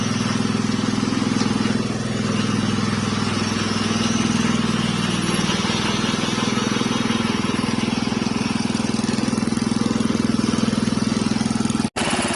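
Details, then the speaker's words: Wheel Horse single-cylinder engine first start after rebuild: steady even putter about three and a half beats a second, no misses or knocks, running smoothly; later leaked red fuel, burned oil and blew blue smoke. "so that is awesome guys the engine started up after the rebuild and you hear how well it ran"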